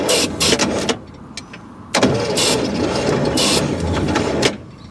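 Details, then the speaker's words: Abandoned 1955 GMC with a 350 Hydra-Matic, first start attempt after 30+ years, jumped with a screwdriver because the ignition switch is dead, starting fluid sprayed: two bursts of slow, labored cranking with no start. Owner suspects no spark. "i don't know man that sounds weak that sounds very weak that sounds exceptionally weak"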